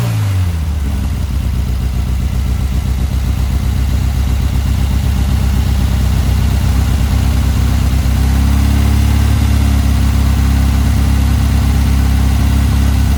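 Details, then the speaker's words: Car fitted with a Weber 44 IDF carburettor, original parts refitted: steady, even low idle, revs climb cleanly and settle again, no stumble or misfire; healthy. "they sounded really good I love how it's sounding look at that nice so that's where we're gonna leave it"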